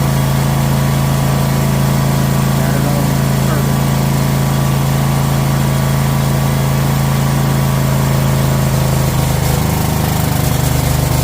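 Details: Troy-Bilt Mustang XP zero-turn mower, after fixing throttle stuck on high idle, started on choke: single-cylinder engine holds steady even drone with no surging or hunting; normal running.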